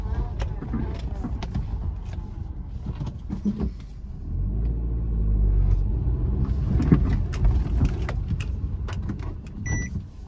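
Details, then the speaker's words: 2018 Suzuki Ignis with about 90,000 km going over a hump at about 30–35 km/h; dull irregular clunks from the front suspension near the shock absorber; worn lower control arm bushes. "ഈ രീതിയിലാണ് കേട്ടോ sound വരുന്നത്. ഏകദേശം ഒരു 30-35 kilometre സ്പീഡിൽ കയറി ഇറങ്ങുമ്പോഴാണ് ആ ഒരു സൗണ്ട് വരുന്നത്."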